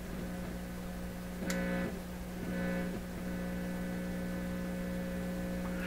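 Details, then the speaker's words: Pye 39HC shortwave receiver fed a 1,000 Hz modulated signal-generator tone: steady low mains hum under the tone throughout; suspected from connected two-prong test equipment and lack of common ground, not confirmed. "so the hum could be because of any of this equipment I've got connected"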